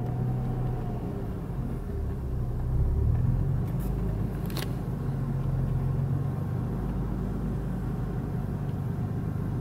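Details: BMW E46 after swapping in a remapped ECU and a non-original crankshaft sensor: idle rises and sags in slow uneven waves with the air conditioning on, never settling; hunting idle unchanged by the ECU swap, cause unconfirmed.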